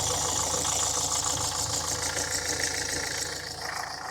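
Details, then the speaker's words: 2013 Ford Kuga diesel after repairing a broken injector clamp: on restart it gives a steady idle with an even light clatter, no leak and no chuffing puff; normal diesel idle. "I'm just going to try and start it now. We'll see what happens. That sounds a little nicer, doesn't it?"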